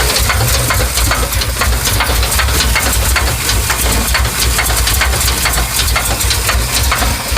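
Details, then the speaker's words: 1982 Chevy engine at idle: a deep rumble with sharp, fairly even knocks about two to three a second, coming from inside the engine. Cause unknown. "okay I have an 82 Chevy and it's making a knocking noise I don't know maybe you want to I know what what this noise is but I would really appreciate if I get back with me thank you"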